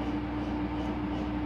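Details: 2015 Whirlpool Cabrio washer on High spin setting, slowly ramping up to 850 rpm; smooth, even mid-pitched motor hum with no knocking or rubbing, a normal high-speed spin.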